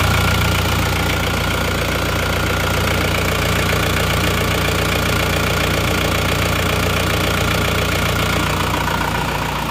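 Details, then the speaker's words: Diesel car left unstarted for 3 years, towed in from Jakarta, started after oil and panel lights came on: even, loud clatter at steady idle, no misses or hunting; healthy engine warming up toward working temperature. "ternyata langsungegrang [Musik] hiupnya dan rata pun hidupnya"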